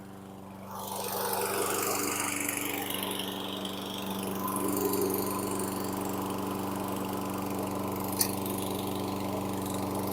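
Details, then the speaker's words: Storm-flooded 2016 Toro Recycler 20370 mower single-cylinder running with oily water in it: steady low chugging with uneven hit-and-miss beat, eventually picking up pace; slows audibly when killed as kill block passes rusty flywheel. "gun boy what a show sound like a hit and miss engine there the old time fair but it finally picked up pace and got going good"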